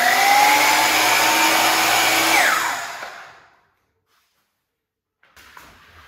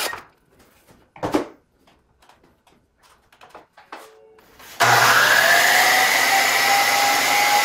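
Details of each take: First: DeWalt DW717 miter saw motor screams with a harsh rough whine, working harder and noisier, then winds down and stops; suspected worn motor bearing (large 6302 2RSJ, small 608 2RSJ), not confirmed. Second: DeWalt DW717 miter saw, whose noise is usually from bearings (6302 2RSJ and 608 2RSJ). Handling clicks, then the motor spins up to a clean, steady whine with no rumble or grinding; a normal motor run with healthy-sounding bearings.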